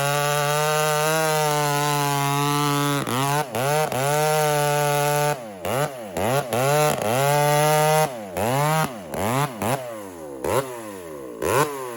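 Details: Walker-ported 850 chainsaw, 32-inch bar, freshly hand-filed chain with rakers lowered, running rich: strong steady high rev, briefly dipping as the chain bites each cut; sharp, hungry chain cutting normally.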